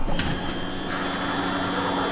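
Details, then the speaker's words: 2015 Toyota Tundra 4.6, towed in crank no start with no fuel pressure: steady electric hum with faint whine as the fuel pump suddenly runs when something is touched. "Oh, I just heard the fuel pump kick on. Hear that? The fuel pump's running. All we did is touch this thing."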